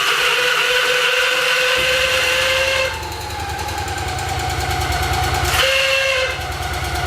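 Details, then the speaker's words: Victory Magnum V-twin motorcycle, first start after rebuild with fuel pump primed: loose, lumpy beat settling after start, no knock or grinding, healthy apart from a loud screeching starter whir; starter suspected to need bearings greased. "yeah Mike sounds good it sounds healthy other than that starter"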